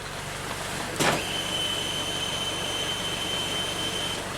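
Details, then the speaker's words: 2015 Toyota Camry, U760E transmission, 125k miles, code P2714 shift solenoid performance, after fluid change, commanding solenoids via scan tool: sharp click then thin high-pitched hum about three seconds as the SL solenoid switches; whether normal is unclear. "You can hear there's this some kind of sound when the SL solenoid goes on and off."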